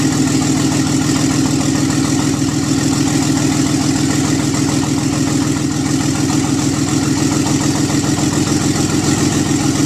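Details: Nissan 300ZX twin turbo, first startup after pulling the engine and transmission to replace gaskets and seals and fit silicone vacuum lines: steady, even idle with a smooth low rumble, no knocks, misses or whine; normal idle.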